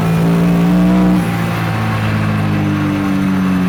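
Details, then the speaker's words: Turbo Scion FR-S, about 400 whp, on the 14.5 psi boost map at wide-open throttle: pulls hard then sags and stumbles like fuel cut; misfire on specific cylinders despite new coil packs; 10 psi map fine. "because under wide-open throttle it just breaks up and basically feels like it's fuel cut off'"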